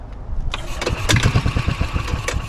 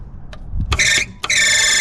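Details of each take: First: 2003 Club Car DS golf cart, previously seized engine after sitting about 3 years, spark now confirmed and plug in: cranking under compression for the first time, even strong pulses about eight a second; compression sounds healthy. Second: 2003 Club Car DS golf cart, engine seized after sitting about 3 years, starter powered directly with 12 volts: two bursts of high, clean electric whine with no engine turning; the starter spins free because the drive belt is loose, to be tightened.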